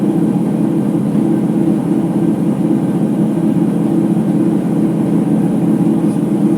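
A heavy, constant roar and rumble through the high spin with no letup, the kind of drone worn drum bearings give.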